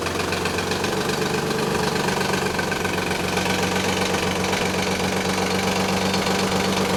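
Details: 1991 Nissan 300ZX (Z32), cold idle, noise gone after about a minute of driving: steady slapping rattle about four a second from timing belt slack, caused by a collapsed tensioner; upper and lower idler pulleys also noisy.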